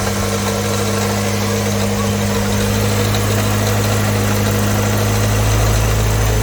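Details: 1989 Ford Fox body 2.3L four-cylinder 5-speed convertible after fixing a no-start, no-crank fault blamed on the starter: the engine catches and settles into a steady, even idle with a firm low hum and no knocks.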